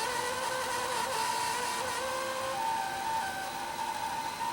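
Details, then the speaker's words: Panasonic Z-chassis VCR: a continuous high squealing screech, wavering tones near 500 Hz and 1 kHz, from tape sticking on heads contaminated by sugary juice or pop residue off a tape from a spill-damaged machine. "can just hear it screeching if we look at the picture leave the picture hope you can see it or not this is the rolling shutter on the same bit that's caused by something sticky"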